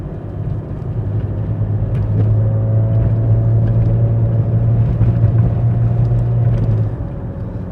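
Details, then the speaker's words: 1995 Mercedes E320 W124 wagon automatic, before Bowden cable and modulator adjustment: engine drone holds one steady pitch up a hill with no upshift; shifting flare also noted, cause not confirmed. "it's not going to shift as we go up this hill okay"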